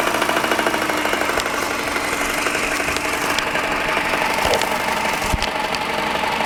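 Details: Subaru EJ15 boxer engine at idle: sharp, irregular knocks stand out over a busy idle, several within a few seconds; engine knock, cause not identified.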